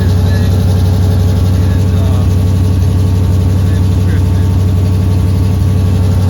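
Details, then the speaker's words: 1986 Chevy Silverado K10 SWB 4x4 with Holley carburetor, idling cold outside: steady V8 idle with a quick regular puffing tick; small exhaust leak where the header bolts to the exhaust pipe. "a little bit of a link where the header bolts up to the exhaust pipe you can hear that it's not enough right now because it's cold outside"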